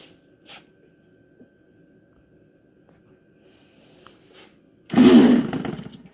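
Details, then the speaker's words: Apparently never-run Royal .46 nitro engine on a Dumas Big Swamp boat, warmed with a heat gun and started on the glow igniter: near silence, then a sudden rising buzz as it fires and catches; starts normally. "it started too you hear it yeah pretty sure this engine has never been ran by the looks of it little bit of heat helps a lot"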